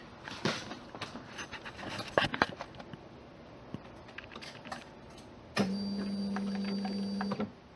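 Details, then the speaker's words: 1991 Lotus Elan after cleaning fuel tank and installing reassembled fuel pump: steady low electric hum runs about two seconds then cuts off cleanly; normal fuel pump priming. "Okay, pump on. Then it turns off."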